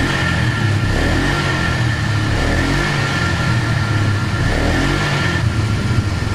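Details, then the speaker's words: Polaris Magnum 325 single-cylinder ATV with air cleaner and airbox lid refitted, which changed vacuum and stopped lean fuel starvation; steady, even beat with no surging or stumbling, running cleanly. "Here's the weird thing. It didn't start running good until I put the airbox lid on there. To me, that's really strange. So it's like it changes the vacuum just enough when you put this thing back on here that it makes it happy. It doesn't try to run out of fuel anymore."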